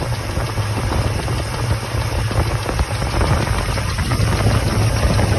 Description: Chevrolet 454 with bad lifter tick and misfire causing vibration.